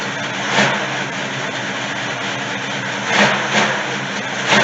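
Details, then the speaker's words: 1971 Chevy C10 V8 after sitting long in a yard: steady idle with even low burble and light blips, no knocks or misses, some smoke; normal idle, but transmission has no gears, fluid low. "She sounds good though. She's smoking a bit. She sounds pretty darn good."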